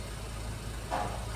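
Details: Geely Okavango 1.5L petrol after fixing a no-start DC-DC fault and steering angle calibration: quiet, smooth, even hum with no misses or knocks; normal idle.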